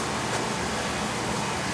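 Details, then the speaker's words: Second oil boiler on an annual service, with a stack switch and no damper; its nozzle filter was clean and left unchanged. Steady even combustion roar with no pulsing, rumble or sputter: the oil burner is firing cleanly. "this one fired up nice little nozzle filter was okay like I said I'm not going to change the filter if it's clean"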